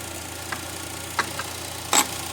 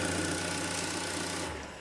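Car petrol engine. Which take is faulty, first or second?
second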